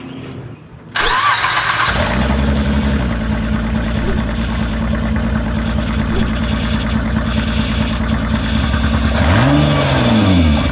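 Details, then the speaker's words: 2006 Honda Pilot V6 at about 286,000 miles starts and idles with loud, uneven chuffing, about four puffs a second. It has multiple misfire codes and a bad exhaust leak at the downpipe. Coils and plugs, unchanged for 180,000+ miles, are to be replaced. "it also has a very very bad exhaust leak uh at the downpipe but it gives you an opportunity to listen to the misfire uh in one of its loudest forms so take a listen to this all"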